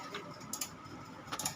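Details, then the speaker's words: V-Guard AC voltage stabilizer, model ND 400: sharp, dry relay clicks in uneven pairs, about five in under two seconds, as soon as voltage is applied and when input drops near 200 V. The three relays, including the input relay, are suspected. "इसमें दोस्तों problem यह है कि जैसे ही इसमें voltage डालते हैं देखिए इस वोल्टेज डाले हैं यह ऑन कर देते हैं यह देखिए खटखट की आवाज आ रही"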